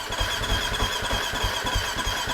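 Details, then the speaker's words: Husqvarna FC250 that quit after a ride: steady cranking chug about three strokes a second, no catch though it tried to pop; injectors or fuel pump suspected, battery then charged and it started. "well I heard it trying to pop off so we know fuel is getting it you never you never know maybe the fuel injectors are clogged at this point"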